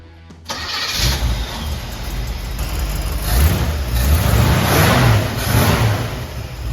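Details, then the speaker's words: 1955 Chevy V8 after installing a bigger cam and post-break-in oil change; catches on the first crank and settles into a firm, slightly lopey, even idle. Normal start. "Let's see if it starts up. Guaranteed first crank, it's gonna fire right up."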